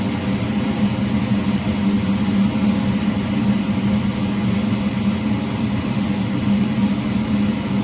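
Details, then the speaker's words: House furnace blower motor running, loud steady droning hum over rushing air heard throughout the house; soot built up near burners; motor needs replacing, whole furnace recommended. "so all right you can hear that loud noise that's what's being heard downstairs throughout the house the motor needs to be replaced"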